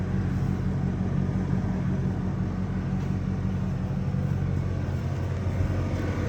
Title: The Buzzing Sound you hear if your Air-Suspension compressor is working on a 98-99 Navigator.